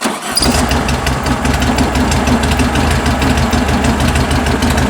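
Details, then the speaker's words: 1974 VW Beetle Love Bug with dual 34 carbs during an engine tune: after backing the mixture screw out half a turn, the idle is low, throbbing and fairly even, sounding better, though the other carb still reads low and may need fueling adjustment. "that's better about 8 n still off on that one still low"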